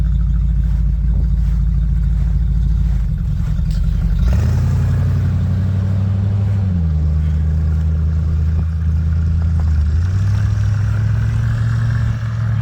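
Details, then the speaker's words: Old Bombardier snow vehicle after nearly six months of restoration, on its delivery test run on ice with skis fitted; low steady engine drone rising and settling with throttle, smooth and even without clatter, running healthy. "Okay, way better turning with those skis on. And they're gonna go take a tour down by the riverbank here to make sure everything's running okay."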